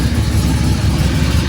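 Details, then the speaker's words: Oldsmobile Cutlass small-block Chevy V8 with new exhaust and new mini starter: deep steady idle rumble with an indistinct low noise from underneath; owner unsure, wonders if torque converter; noise under car at idle. "y'all see and yall here that the noise I don't know if that's the T converter or what"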